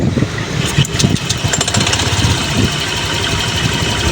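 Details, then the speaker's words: Honda Click 125 scooter pulling away, rear wheel gripping without hard throttle: uneven shuddering thump and rattle under engine note, strong vibration; CVT judder from worn flyballs. "Narinig nyo yun? Parang may vibration na ewan."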